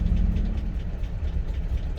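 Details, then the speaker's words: 2006 GMC Sierra 2500HD at startup idle: low, uneven, lumpy idle sagging near stalling, with engine knock; code for crank sensor, barely runs, owner hopes a new crank sensor will help. "so it's got a code for a uh up there it was about to stall"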